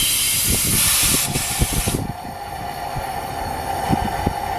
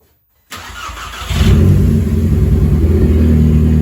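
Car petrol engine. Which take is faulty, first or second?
first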